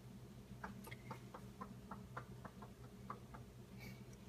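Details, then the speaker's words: New Whirlpool French door bottom-mount fridge knocking from delivery day, heard close up: light, fairly regular knocks about four a second over a steady low hum, occurring several times a day for an hour plus; cause unknown. "So, it's not a hum. It's definitely a knocking. It happens several times a day for an hour plus at a time."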